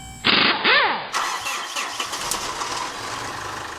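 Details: 2013 Mitsubishi Fuso FG with a 4P10 diesel: a quick starter whir, then a rough, uneven churning that never settles into a steady beat as it cranks but won't start; fuel pressure is confirmed insufficient and the cause is still being traced.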